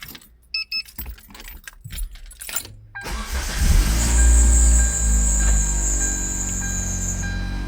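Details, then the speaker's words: 2006 Hyundai Tiburon GS 2.0L 4-speed automatic, high mileage, idling after a home arc-welded flexpipe repair; the engine catches after some rattling and settles into a steady deep idle with no exhaust-leak puffing. Much better, though not as good as hoped. "Much better. Much better. Doesn't sound as good as I was hoping, but it definitely sounds much better."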